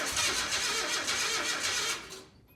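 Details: 1987 Nissan D21 hardbody (720), 53,000 miles, seized motor after 30 years in warehouse, freed; new plugs, 30-year-old gas, TBI tapped to break free: rapid rough cranking with ragged pops, trying to catch then dying; hard start, now running.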